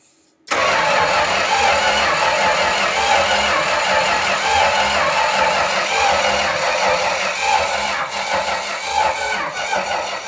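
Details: Dodge 400 big-block V8 swapped into a 1970 W200 Power Wagon, first start after head gaskets and cleaning out stuck valves and mice, on old oil: cranks briefly, catches, rough but steady idle with busy top-end clatter; running again.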